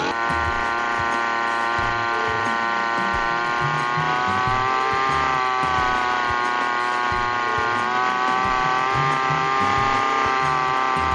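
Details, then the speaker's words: Two-stroke grass cutter revs high as soon as it starts and never drops to idle, even after freeing the throttle cable and adjusting the carburetor air screw. High idle speed; next step is tightening the throttle adjustment. "saya sudah mencoba untuk menurunkan setelan angin angin karburatornya tetapi tetap saja gasnya belum bisa turun masih tinggi"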